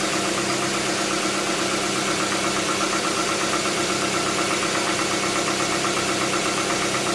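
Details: 2007 Hyundai Tucson 2.0 16V GLS: ticking noise on cold morning start over a steady engine hum, fading after about 10 km of driving; mechanic says hydraulic lifters (tuchos), owner unsure, not confirmed.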